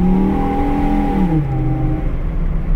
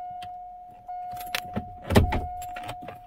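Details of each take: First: 2004 Chevy Colorado 3.5 L: pulls cleanly, pitch climbs then eases with no bog under load; runs perfect, where before it fell on its face. Healthy acceleration. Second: 2004 Chevy Colorado 3.5 L, towed in, died while driving: chime, then about four seconds of even cranking with no firing; almost no fuel pressure on key cycling. Owner suspects bad fuel pump, possibly regulator.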